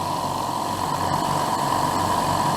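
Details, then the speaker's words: Air compressor after upgrade from two motors to one: steady, even motor drone with a faint constant tone near 1 kHz, no knocks or rattles; seems quieter, more solid and less vibration than before, running smoothly. "I'm very pleased with the sound it it seems but it seems to have made it more solid maybe it's less vibration"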